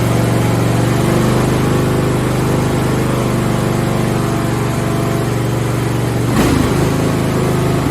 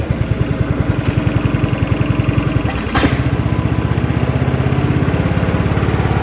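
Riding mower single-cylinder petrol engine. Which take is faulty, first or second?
second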